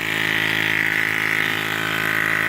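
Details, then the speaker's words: Ford 6.0 Powerstroke diesel at idle: a constant high-pitched buzz sits steadily over the idle, present since day one and showing no codes; some engine bay unit is vibrating, source unidentified. "There's a terrible buzz sound coming from inside the engine compartment. Sounds like it's right under there."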